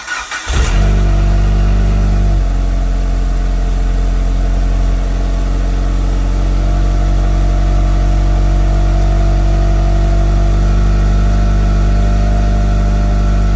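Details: Mitsubishi Evo just after FP Red turbo install with MAP manifold and new FP oil lines; catches quickly, steady even idle with clean rev blips, no knocks or rattles. Normal start-up and revving.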